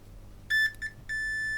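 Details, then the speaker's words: Tomy Electric Supercup Football game with no power reaching the motor: multimeter continuity check on cleaned power switch gives two short chirps then a held tone in the on position, switch now conducting. "switch is currently off so there no beep now let's put the switch to on fingers crossed"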